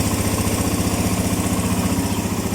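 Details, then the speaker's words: Suzuki Mola GS125 engine converted to 150 and rebuilt; after repair the earlier ticking noise is gone, leaving a regular, even single-cylinder idle thump, quiet and healthy: normal idle. "Hindi pa kagaya nung nakaraan na may lagitek, ngayon wala na. Natahimik. Ang ganda ng andar."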